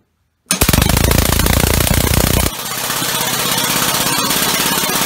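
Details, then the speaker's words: Homemade 6-cylinder two-plate compressed air engine switched to four cylinders during RPM test: fast, uneven pounding strokes with steady hiss behind; owner suspects a leaking valve. "Maybe I've got a valve that leaks. Sounds like it."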